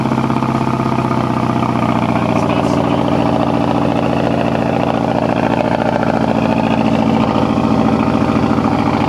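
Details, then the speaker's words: 2006 Mazdaspeed 6 at idle after hitting 2-step: lumpy, uneven exhaust pulse with a stumbling beat and the engine shaking. Bad misfire; owner suspects a blown coil pack, not confirmed. "I don't know if you can tell there, but there's like a misfire, like a pretty bad one. Yeah, even the engine was doing one of these jobs. Like the whole thing was shaking a litt"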